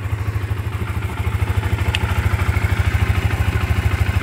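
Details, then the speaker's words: Modenas Z15GT motorcycle after repair at dealer: steady even low idle thumping, smooth beat; earlier repetitive ketap-ketap ticking gone, engine quiet and normal again. "Lepas tu sekarang alhamdulillah enjin dah bunyi senyap normal macam sebelum ni."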